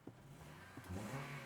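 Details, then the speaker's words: Honda CR-V after repair for low power, unable to exceed 40 mph, DTC P0507: petrol engine idles and revs smoothly and cleanly with no misfire or stumble, now sounding normal. "Man, it sound it sounds like a CRV now. Oh, yeah. This is fixed. Just based on how it sounds, I can tell that it's fixed."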